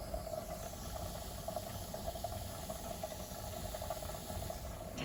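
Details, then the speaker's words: Pressure canner with chicken drumsticks venting steam for 10 minutes before the weight goes on (15 psi for the altitude); a soft, steady hiss with a faint fluttering tone that never breaks up; normal venting. "It's venting."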